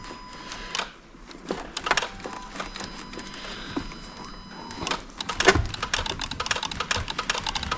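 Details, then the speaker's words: Dodge Ram 2500 Hemi that dies even while running and flashes a security light: wiggling the TIPM fuse box with the engine running brings sharp, irregular relay clicks in uneven bursts that speed up to rapid chatter. Suspected cause is corroded TIPM connectors. "I'm just going to start it with it up here and wiggle it around and see if there's a glitch you can hear stuff clicking when I'm wiggling this around listen to"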